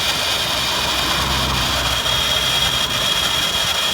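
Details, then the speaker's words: Nissan Pixo gearbox, cold idle: a steady, thin high-pitched squeal near the input shaft, unaffected by the clutch pedal; began with cold weather after a new clutch was fitted with the old pressure plate; owner suspects the input-shaft pilot bearing in the crankshaft. "чуєте скрип іде на первичноному валу тому"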